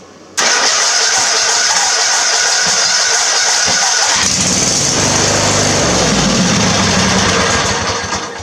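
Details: LT1000 mower with new coil and spark plug installed, kill wire connected: cranks and catches at once, runs steadily with a raspy high exhaust note, but only on gas poured into the carb; fuel solenoid not yet powered.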